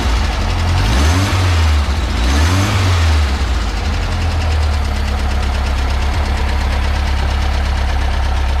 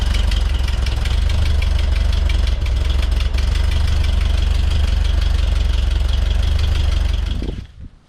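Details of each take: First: 1967 VW Bus, stock dual-port 1600 air-cooled engine just fitted with a supercharger kit, exhaust leak fixed: two throttle blips then a steady, even idle with no puffing or ticking; runs, though throttle is sticking. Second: 1967 VW Bus (Transporter) air-cooled flat-four, just fitted with a supercharger kit, sheet metal off: idle with rapid raspy puffing tick from a small, easily reached exhaust leak, then shut off.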